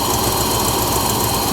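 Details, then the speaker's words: 1972 Mercedes 300SEL 4.5 D-Jet V8 after timing chain, valve adjustment and new plugs: lumpy, uneven idle with occasional dropped pulses, better than before but still stumbling and missing; misfire, some smoke. "well that's not bad you can tell it's definitely running better than it was when I first got the car but you can see it's still stumbling see that it's missing"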